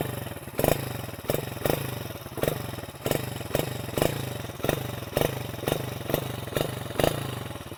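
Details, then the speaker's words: Restored, modified 1999 Hero Honda Splendor single-cylinder with a new steel exhaust: an even, crisp exhaust note with regular gentle pulses and no knocks or rattles. Normal, healthy exhaust sound. "പുതിയ സാധനമാണ്, പക്ഷേ ആ സ്റ്റീലിൻ്റെ sound നന്നായിട്ട് വരുന്നുണ്ട്."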